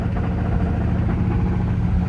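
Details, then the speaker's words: Square-body Chevy dually with replacement big-block V8, after a drive around the block with good oil pressure: rapid, regular deep knock over low rumble, consistent with worn rod bearings; rod knock. "Oh, I'm starting to hear a knock. There we go. We just took her around the block. There's the knock."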